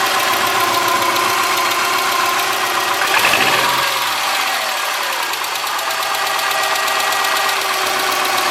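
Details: 2003 Subaru Forester, 178k miles, about 150 miles after a head repair for a dropped valve guide. Cold-start idle with a light, steady tick from the driver side, caused by 0.029 in exhaust valve clearance on the front cylinder (spec about 0.010). Adjusting the valve fixed it.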